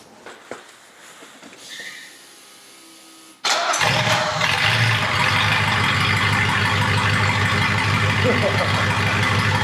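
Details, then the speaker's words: Mercedes 380SL V8 started in cold weather on a jump box, exhaust disconnected at the Y-pipe (effectively open headers), after rear differential reinstalled: quick crank catches into a loud, raw, crackling idle with steady pulse. "It doesn't have the exhaust on. It's literally disconnected right at the uh at the Ypipe. So, it's basically running open headers."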